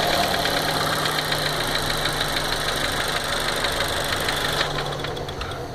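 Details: 2015 VW Golf Variant 1.4 TSI at 3,000 km: light uneven ticking about three times a second over a steady idle, lifter-like; owner suspects intermittent lubrication problem, cause unconfirmed by dealer.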